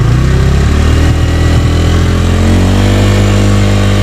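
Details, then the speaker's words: 2024 Bajaj Pulsar N150 engine, stationary test revved up to about 6000 rpm: smooth, even note rising in pitch with no knocks or rattles. Very little vibration; normal revving. "यहां पर देख सकते हैं तो अभी आपने देखा हम 6000 तक आरपीएम इसका ले चुके हैं और यहां पर आप देख सकते हैं बिल्कुल ही कम वाइब्रेशन थी यहां पर भी"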